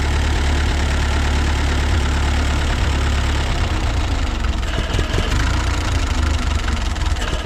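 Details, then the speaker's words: Ford 8N tractor just started with carb cleaner, cold, low uneven idle that lopes and stumbles and won't hold idle; owner suspects an intake leak. "sounds like it's running pretty good now the to's off kind of wondering if we do have a leak on that intake not wanting to suck fuel right"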